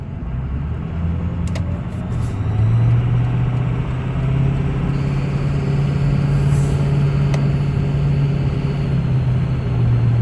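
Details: 2005 Ford F350 6.0 Powerstroke diesel revving: steady droning whine rising then holding over the engine note, more pronounced after intercooler boots, fuel pressure regulator, glow plugs, harnesses and filters were replaced; source unknown.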